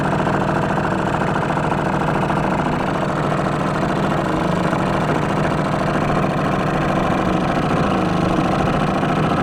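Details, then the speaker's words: 1949 Atlas Royal 1.5 hp outboard barn find, mixture adjusted and warmed, running on the lake: steady even two-stroke buzz with constant beat, no misses, knocks or surging; owner says it runs great for its age. "that was a blast that thing runs great uh very surprised for how old it is how well i"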